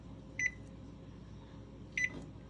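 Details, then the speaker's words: GE range model PB950SF2SS with F20 code, temperature probe tested: bake start gives two separate clean single beeps about a second and a half apart with no double beep, and it reaches temperature; normal bake start. "it should go right to click you should not hear a double beep oh temperature is reached sorry temperature is reached"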